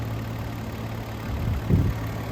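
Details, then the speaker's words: 2007 Hyundai Azera, about 200K miles: low, steady, smooth idle with no knocks or ticks, sounds healthy. The oil light came on and it was a bit low on oil; the fault was later found to need an oil sensor. Normal idle. "It sounds good. It's running good."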